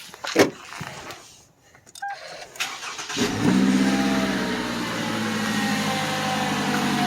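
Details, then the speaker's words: Toyota 2.7L four-cylinder 1AR-FE Highlander started with both drive belts removed: cranks, catches and settles into a smooth idle with no whine or grinding; noise gone, traced to the water pump, which is being replaced. "I'll start the car just to show you that the noise is gone"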